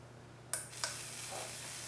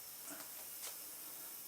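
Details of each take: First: Slayer exciter Tesla coil with a bigger NPN bipolar power transistor: a couple of sharp snaps, then a steady high corona hiss over mains hum while frying away at the top; the clip jumped off. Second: Slayer exciter Tesla coil with a bigger NPN transistor, power supply at max, with a ground wire nearby: faint high hiss with crackling bursts as it fries down low, worrying the builder; the source is unconfirmed, and the wire end got hot.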